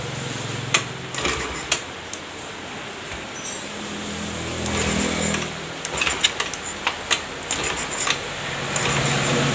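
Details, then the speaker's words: Honda Beat FI fuel-injected scooter that is hard to start: several kick-start strokes turn it over in uneven bursts but it never catches. It was already serviced and reset, the fuel pump checked, and replacing the injector fixed it. "Ayo kita coba starter mesin gak bisa hidup ya Hai susah banget hidupnya"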